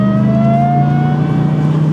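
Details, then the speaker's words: Car under acceleration: steady high-pitched squeal climbing slightly with revs; owner suspects belt or tensioner, also wonders about low boost and a spark-knock-like sound; cause unconfirmed. "I guess it does sound like the belt's squeaking. So maybe it could use a belt or a tensioner or something."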